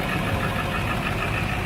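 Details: High-mileage turbo diesel in cold weather idling roughly after a hard cold start, with uneven clatter and a heavy low rumble; dead glow plugs and water in the fuel were found, along with an exhaust back-pressure valve stuck closed.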